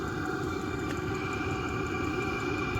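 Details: Newly installed Vevor 5K 12-volt diesel heater running on a trailer: an even, steady exhaust whoosh and rumble with no surging, popping or misfires; burning cleanly, normal running.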